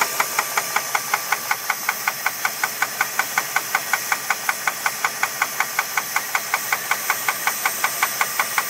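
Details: 2001 Jeep Grand Cherokee 4.7 at idle: sharp, evenly spaced deep metallic knocks, about 160 a minute, over a quiet idle. Owner asks whether it is rod knock or something else; unconfirmed.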